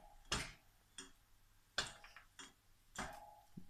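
Only scattered sharp ticks, roughly one every second or so, as the motor twitches instead of spinning; fault source still unknown.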